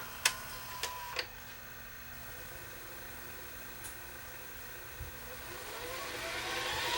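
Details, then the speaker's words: Philips VRB615 VCR, grease checked and okay: a few mechanism clicks, then a smooth whir rising in pitch as the reels spin up; full fast forward runs normally. "And we'll stop and we'll go to full fast forward."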